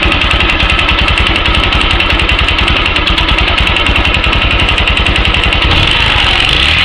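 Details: Yamaha YBR-125 single-cylinder engine at idle: a sharp, regular knock about three to four times a second rides over the idle and stays steady; engine knock, cause unknown.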